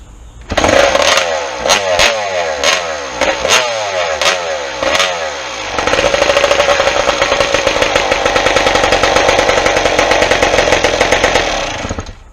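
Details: 1996 Suzuki RM250 two-stroke, first start after restoration, fuel bowl filled: hollow kick-over thumps, then fires into crisp even ring-ding idle with no misses, water pump spraying; healthy start and idle.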